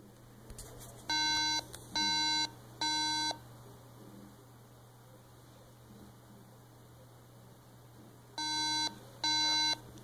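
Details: Mac at power-on: three evenly spaced buzzy beeps, a pause, then three more, meaning it failed the startup RAM test; a PRAM reset is suggested as a first fix.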